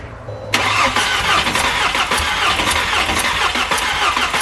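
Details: VW GTI 2.0T project car with milky oil under the cap: starter spins the engine evenly for about four seconds but it never fires; crank no start, afterwards crankcase pressure, steam and fuel smell at the oil cap, cause suspected not confirmed.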